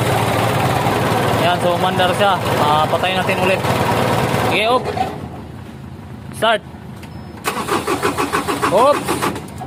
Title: Engine Hard start Problem Semi electronic #shortsvideo